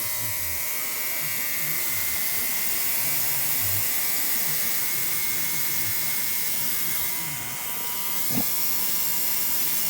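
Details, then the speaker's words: Digital ultrasonic cleaner set to 60 minutes, heated, cleaning a carburetor: steady high-pitched buzz with constant hiss, no dropouts; normal operation. "let's give this one full 60. um you can hear it buzzing"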